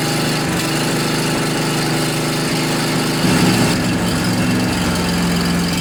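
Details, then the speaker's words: John Deere LA145 riding mower, 48-inch deck, blades engaged at low rpm after deck spindle bearing replacement: steady engine drone with even deck whir, noticeably quieter, no grinding; normal mower deck operation. "well I think that was a quite a bit quieter it's now I don't really hear any abnormal noises so I think we're good folks"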